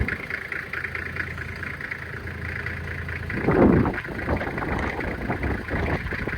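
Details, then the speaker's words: 1997 Toyota Land Cruiser HZJ75 diesel after true cold start around 20 degrees, windy, hood open for blow-by test: even clatter at cold idle, brief rev blip then settles smoothly, no misfire or knock; little smoke; normal cold start and idle. "No more smoke, really, a little bit, but not really any. It sounds good."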